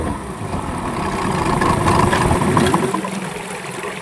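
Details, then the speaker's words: Yamaha 15 hp two-stroke outboard before repair, hard starting and no power: lumpy idle that surges and sags, dying when throttled. Cause found: stuck piston rings and a clogged, narrowed exhaust. Stuck piston rings and clogged exhaust. "Dia mesinnya langsung mati ketika kita untuk gas. Kemudian mesin ini disertai dengan tenaga hilang, sama sekali hilang."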